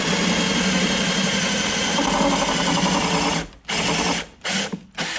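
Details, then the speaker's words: A drill with a spot weld cutter bogs, whirring then cutting out in stop-start bursts as it bites rusty spot welds on the inner rocker panel of a 2002 Mercury Sable station wagon. It strains harder in the rusted areas. "you can hear what I'm saying. The drill was sort of protesting."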